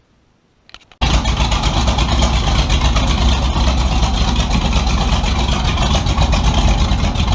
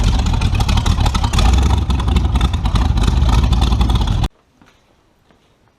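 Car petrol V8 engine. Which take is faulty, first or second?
first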